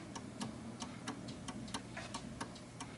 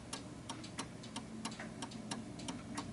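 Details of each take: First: 1930s 8-day striking oak mantel clock (Enfield) with the pendulum hooked on: steady tick-tock with an uneven, off-center beat, more tick than tock, so the clock is out of beat. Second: 1930s 8-day striking oak-case Enfield mantel clock with the pendulum just hooked on: a crisp, steady tick-tock at about three beats a second, running evenly and in beat.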